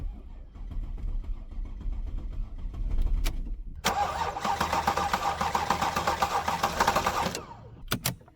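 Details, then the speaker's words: Porsche Panamera S after timing chain job, previously long crank and rough idle: healthy even cranking at about four compressions a second but never catches; found to be out of fuel. "okay the crank sounds good but uh well didn't start"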